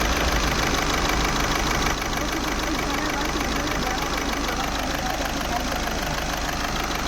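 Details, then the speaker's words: Skoda Rapid diesel idling after long cranking: rough lumpy idle stumbling about three times a second, glow plug light blinking; cylinder 4 misfiring, code P0204, faulty injector. "मैं आपको दिखाता हूं आगे से engine start है हमारा और यहां पे इंजन पूरा मिसिंग हो रहा है आप लोग देख सकते हो पूरा इंजन मिस फायर हो रहा है"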